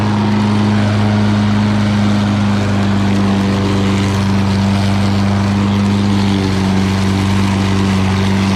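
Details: Lawn Boy all-wheel-drive mower with Kohler engine, cutting and bagging grass: steady, even drone at constant pitch with no misses or knocks; normal running under load.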